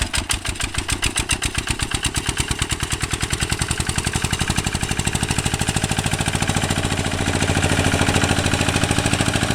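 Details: 1966 Lister LD1 single-cylinder high-compression diesel on restored auto truck, completely rebuilt, just cold-started on a freezing day: crisp, even beat about three to four firings a second, speeding up smoothly, no knocks or misses, healthy.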